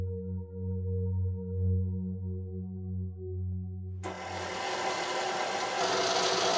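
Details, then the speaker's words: Old, well-used KitchenAid mixer with aged, smelly grease, struggling with dough before regreasing: a low hum with whining gear tones, then a harsh raspy grind; gearbox strain suspected. "My KitchenAid mixer is starting to struggle with dough and is starting to make some pretty horrible noises when I'm running it."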